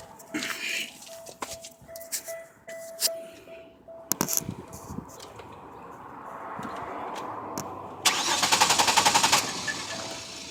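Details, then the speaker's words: 1999 Chevy Venture 3.4 with 222,000 miles, died at traffic light: bangs on the gas tank then brief fast even cranking that never catches; fuel pump primes but gauge shows almost no pressure, fuel pump suspected. "and as we see you can hear the fuel pump priming but there is no not enough pressure so our next step fuel pump"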